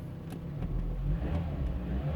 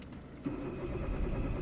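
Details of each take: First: 2005 Citroën C4 1.6 petrol, a non-starter with code P1694, after replacing the faulty crankshaft sensor: engine catches, revs up and settles to a smooth low rumble with no knocks or misses; running normally. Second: Citroën C4 1.6 petrol, trouble code P1694; starter cranks the engine at a steady beat but it never catches, and live data shows no engine speed; failed crankshaft position sensor, crank no start, before replacement.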